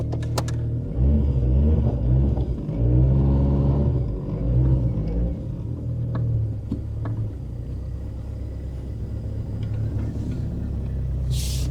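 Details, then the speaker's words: Saab 900 Turbo with K-Jetronic fuel injection, running again after work on the fuel distributor line, pressure sensor and fuel pump suspected earlier: low rumble with uneven, lumpy firing and some revving; runs but not smoothly. "Yeah, it's not perfect as you can hear, but it is working."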